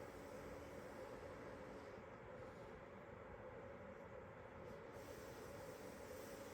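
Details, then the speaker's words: Electric kettle after heating element replacement, filled with water, light glowing blue, bubbles rising: steady even rushing hiss with no clicks or buzz; draws about 1,700–1,725 watts. Normal heating after repair. "Give it a test now. It does light up blue. Good. I can hear it. Bubbles are going up. It does work."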